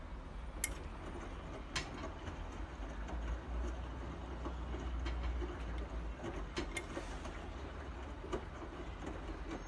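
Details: Bosch washing machine making a deep, uneven rumble broken by sharp, irregular clicks and knocks; the cause is unknown.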